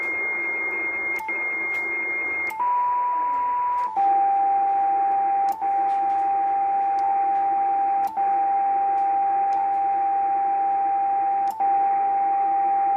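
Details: Yaesu FT950 receiver with no antenna connected, only power: loud, pure steady tone over the hiss on most bands that drops from high to lower pitch when the shift is adjusted; source of the tone unknown.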